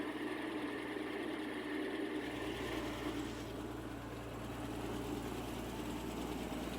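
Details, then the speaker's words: 1954 Ford engine, 120 hp, on early-1950s Asplundh wood chipper, after cold start, off choke once throttle given: smooth, even idle with steady low hum, no knocks or misses; normal. "The cold start likes a little choke at the lower RPMs, and after giving it throttle, no choke."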